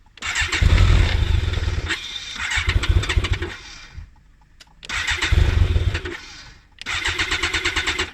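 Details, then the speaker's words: BMW K1200 motorcycle cranked with the in-tank fuel pump switched off to show fuel starvation. Two bursts of fast starter cranking, with the engine never catching. No start due to fuel starvation. "Now, to monitor your fuel starvation and to see what it sounds like to start, I'm going to do that. You watching? And there you go. Fuel pump is off."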